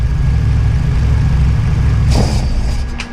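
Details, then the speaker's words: Widebody RHD BMW E36 with individual throttle bodies, run without the MAF on an alpha-N retune after tightening throttle linkage: low, uneven idle rumble holds about three seconds, then sags and stalls; idle stalling. "and it dies. So that's what I've been having issues with, is even if I get it you see, it wants to"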